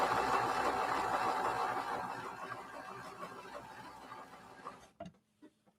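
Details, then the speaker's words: Vintage sewing machine, unthreaded: steady rhythmic whirring about three beats a second slowing and fading as it stops; belt tension suspected causing drag, not confirmed; dragging mechanism. "re are some issues with how that belt is being tensioned. Because right now it is dragging."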